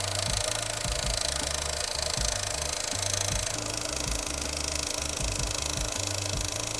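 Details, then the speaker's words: High-mileage, long-standing Honda S2000 at idle, heard via screwdriver stethoscope; quick, uneven sewing-machine clatter loudest at the timing chain area; timing chain suspected, needs investigating, likely replacement. "coming from the timing chain area yeah so that would need investigating"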